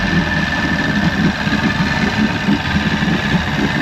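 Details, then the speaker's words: 1996 Force 120hp two-stroke outboard on a Bayliner Capri, warming up on warm-up lever after start with a little throttle: even, burbling idle with light steady rhythm, no misses or knocking; healthy. "It doesn't have a tachometer. We'll get her warmed up. It's being good."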